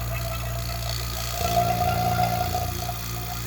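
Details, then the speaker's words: Vacuum pump evacuating Carrier heat pump via Appion hoses and Yellow Jacket manifold, micron gauge: steady drone with faint whistle, deepening and roughening as manifold valves are partly opened and the system loads it; normal. "Now I'm pulling vacuum on the whole system. And it's going to take a little bit of time for it to calibrate back down."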